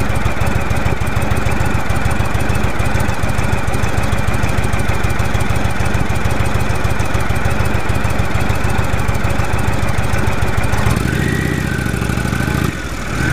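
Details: 2015 Indian Chief Vintage, Thunder Stroke 111 V-twin: heavy loping idle with a thin, steady high whine above it, the loudest among nine such bikes ridden.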